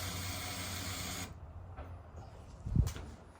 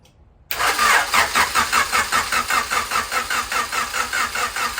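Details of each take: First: Turbo Honda Accord CB7 build with a new Hellcat 525 fuel pump and E85 flex fuel sensor, key on before the first start: a short steady whirring hiss for about a second that cuts off cleanly; normal fuel pump priming. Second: Turbo Honda CB7 build with a new distributor, Hellcat 525 fuel pump and flex-fuel sensor, on fresh oil. The starter cranks evenly at about 2.5 beats a second but it never catches, because a blown fuse left the ECU without power.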